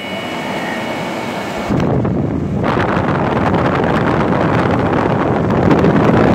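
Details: Late-1960s Sears Coldspot 18,600 BTU air conditioner just fitted with a brand-new Fasco fan motor, started on high: blower kicks on with a whoosh, then airflow settles into a smooth, even, gently building roar. Running healthy.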